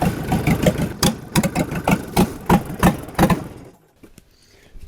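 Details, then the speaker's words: Rebuilt Yanmar 4TNE98 diesel in a Caterpillar 216 skid steer, test run: uneven chugging about three beats a second, stumbling and fading almost to nothing; rough running, owner suspects fuel starvation and added more fuel to the can. "added a bunch more fuel to the can see if that helps it's kind of acting like it was not getting enough"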